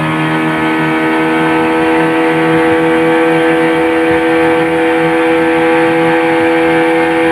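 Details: Yamaha 15 hp outboard on a full-throttle test run after repair of a weak ignition coil (down to 270 ohm) and a flooded, clogged carburetor that caused hard starting and no power. Steady, clean high-revving drone with no misfire. Normal full-power run.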